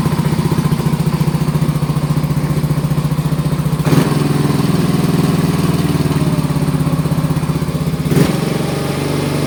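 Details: Mio i125 scooter with a no-start (spark, fuel and strong battery present) after compression check, valve clearance adjustment and timing set to zero: steady, even single-cylinder putter at idle, clean regular beat, no knocks or misses; normal idle.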